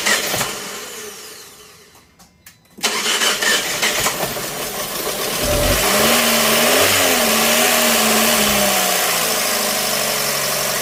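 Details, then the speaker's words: 2012 Fiat 500, first start of a used replacement engine stored over a year, plugs and coil packs fitted, no coolant: catches, revs briefly, settles to a steady even idle with no misses. Slight smoke from oil burning off; much smoother than the old engine. "see what she sounds like oh she's so much smoother than that other engine"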